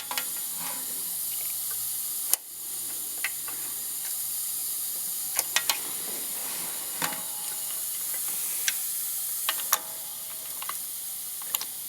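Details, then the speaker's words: 469 big-block Chevy dragster engine, cold, during a leak-down test at TDC on the compression stroke with the throttle cracked: a steady airy hiss heard at the carburettor means air is leaking past the intake valve. "so that's definitely air leaking right past the intake valve you can hear it right to the carburetor"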